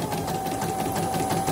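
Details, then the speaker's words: CNY E900 embroidery machine, serviced for not stitching and rough noise, with a rotary hook badly damaged by the needle: fast, even stitching patter with a steady tone and no clunks; now running smoothly. "Dari tadi sih nggak ada yang putus, kalau sekarang putus ya takdir. Udah lancar nih."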